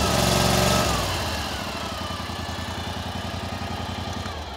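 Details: Cub Cadet 1440 with Briggs engine after electrical repairs (battery cable ends, fuse holder, key switch), now charging at idle: brief higher speed settles to a steady, even idle near four beats a second, no misses or knocks.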